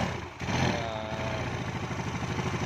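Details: Yamaha Mio carbureted scooter engine at first start after reassembly, valve cover off to check oil flow: after a brief start-up burst it settles into an even, quick putter with a light top-end clatter. Oil reaches the head, normal.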